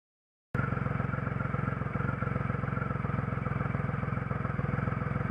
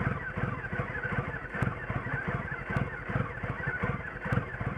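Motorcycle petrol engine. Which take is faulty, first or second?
second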